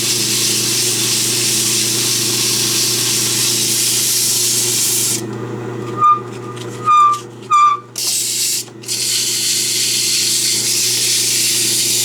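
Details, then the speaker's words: Belsaw lapping machine, after electrolysis rust removal, lapping with coarse emery cloth: a steady motor hum, then three short high squawks about a second apart; intermittent squawking, cause unknown. "What in the heck is that squawking?"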